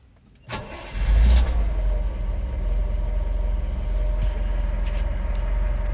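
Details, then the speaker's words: 1967 Citroen DS 21 Pallas, 2.1 four-cylinder, ignition light working, starts well hot or cold with no overheating: short crank, catches at once, settles into steady even low idle with no misses; healthy start. "beauly starts well this one whether it's hot or cold there's no uh overheating or anything it drives absolutely superbly"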